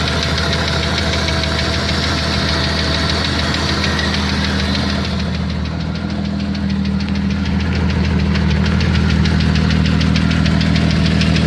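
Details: 1992 Jeep Cherokee XJ 4.0 at idle: sharp regular knock about three per second, louder toward the end; owner unsure if flexplate bolt, piston slap or something else.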